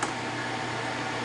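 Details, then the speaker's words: MSC milling machine spindle motor after repair and rewiring (two wires swapped to correct rotation): steady, quiet, even hum with a soft airy hiss and no grinding, rumble or ticking; no bearing issues heard. "Sounds good, nice and quiet. I don't hear any bearing issues."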